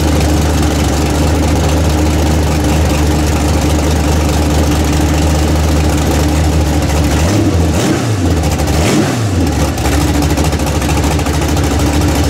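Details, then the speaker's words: Freshly built 406 small-block Chevy V8 in an S10 during break-in, warmed up; steady deep rumble with one brief rev dip, firing cleanly on all cylinders and sounding better. "yeah I like how she fires good drum sounds better"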